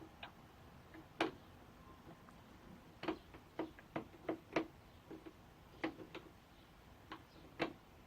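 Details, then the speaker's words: Homemade wooden spur gears with straight-line tooth profiles cut on a bandsaw, then filed and rounded: irregular hollow clacks about two a second as the teeth bang together with occasional binds, from excessive backlash and play. "when listen to them you can hear that they're quite noisy they kind of bang into one another and there still are some binds so they're definitely not perfect"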